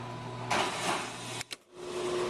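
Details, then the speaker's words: LogiStop-controlled machine triggered over DMX on channel 1: once the channel passes about 65%, a steady electric whir lasts about a second and cuts off cleanly as it reaches pre-programmed position 1; normal motor run to preset. "and we're going to take it up, and once it gets past about 65%, you'll hear the machine going to position number 1."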